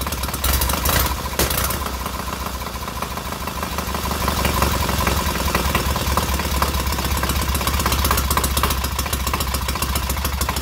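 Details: Freshly rebuilt K750 boxer twin on first start-up, after a minor ignition fault stopped an earlier attempt: steady, even tick-over with light valve clatter on top, both cylinders firing cleanly and heating equally; normal idle.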